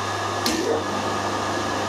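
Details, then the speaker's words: Phase converter remounted on a new stand to stop vibration. A steady, even electrical hum with one brief bump and no rattle or buzz, much quieter than before. "that's a lot quieter than it was"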